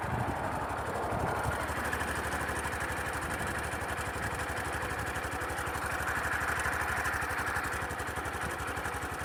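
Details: Sundiro Honda CBF125T small single motorcycle, recorded by phone: dense, fast metallic "ka-ka" clatter over the thumping exhaust, from a loud timing chain rattle that does not affect riding.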